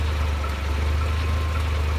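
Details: Mercedes SLK 230 R170 with hot engine at idle: steady drone with faint light tick about twice a second, only when hot; new water pump, thermostat, belts, mounts and oil, cause unclear.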